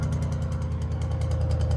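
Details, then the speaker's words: Deep, lumpy V8 cold idle of a 2019 Mustang GT, tuned on 93 with a Lund Racing tune and a Corsa Xtreme exhaust, with a light fast rattle from the exhaust valves on one side; goes away after cold start. "here you can hear it rattle, and it just kind of goes away after a cold start."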